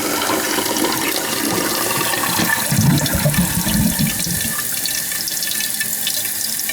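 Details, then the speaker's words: American Standard toilet that keeps running and overflowing and won't shut off: a steady hiss of water runs into the tank without cutting off. The fill valve is bypassing and probably needs a new fill valve, or possibly a new gasket. "it's an American standard toilet it probably just needs a new fill valve oh yeah she's bypassing"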